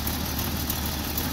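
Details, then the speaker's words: Jeep with a new distributor cap and topped-off coolant, at about 60° base temperature: low, uneven chugging idle with unsteady rpm instead of a smooth hum; cause undiagnosed. "you can see the rpm is so it's just kind of chugging around like it's i don't know what the deal is"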